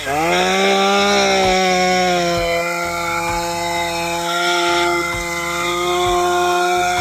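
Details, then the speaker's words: STIHL MS201TC chainsaw after complete engine rebuild for zero compression and no-run: steady, bright two-stroke buzz that settles quickly and holds even revs with no misses; back up and running healthy. ">> I'd say that sounds pretty good. back up and running."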